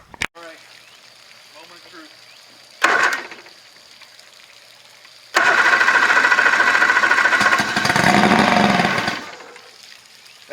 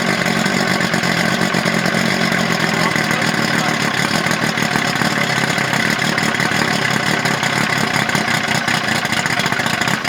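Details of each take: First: Outboard just mounted on a 1984 Grady White Overnighter 20, on a portable tank with primer bulb: short blip, then a few seconds of steady cranking that catches and runs briefly; normal first start, puff of smoke since it was oiled. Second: Two-stroke outboard on a 1984 Grady White Overnighter 20, electric fuel pump, no choke: raspy buzz at a rough, uneven idle just after first fire-up; it runs, though a fuel leak is seen; warm water from the pee outlet.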